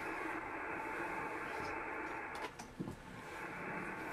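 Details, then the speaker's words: Ham radio receiver after unplugging an interfering power supply: even soft hiss without buzz or rasp, ordinary band noise; the power supply noise that had sounded like filter ripple on CW or atmospheric noise on SSB is gone. "i just unplugged that power supply and look at the noise level now that's band noise that's normal but look how much of an improvement i've got"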